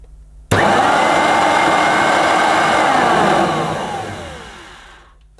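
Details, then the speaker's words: Rare Hoover U4362 Turbomaster softbag upright vacuum in poor condition, first run after assembly: a strong, even whir with steady pitch and no rattle or grinding, then a smooth spin-down. The motor sounds surprisingly good and smells right. "sound surprisingly good it smells right now hopefully now it's in the operating position"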